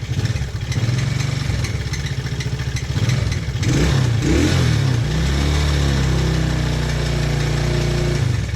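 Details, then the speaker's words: TaoTao 110cc single-cylinder mini quad, sat a while, idling then revving: loose ticking top-end clatter over the exhaust pulse; owner suspects bad top-end bearing, cam or valves, usually better when warm. "oh yeah you can you can hear that that bearing that went bad the top end we still use it though it's not like it's gone"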